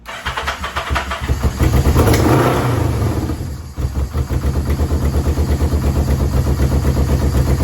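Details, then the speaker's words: Yamaha VMAX 1200, sat about 5 years, jerry-rigged fuel pump, cold restart to warm up: cranks, catches and flares, then a lumpy, uneven choke idle that never steadies; owner suspects clogged carburetor jets, new pump and carb rebuild kit ordered. "But I know the freaking jets are clogged up. Been sitting for like 5 years. So give it one more try. Choke off. Okay, now with the choke on."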